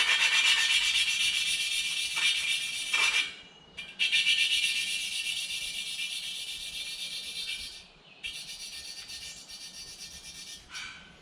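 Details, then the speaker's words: Polaris 300 Sportsman/Hawkeye head rebuild, lapping a valve into its seat with compound and suction tool: fast steady rasping about four strokes a second, harsh and coarse at first, then fading quieter and finer as the seat beds in smooth. "Basically, it sounds like it's real coarse there for a while, and then it does peter off to a more nicer sounding sound."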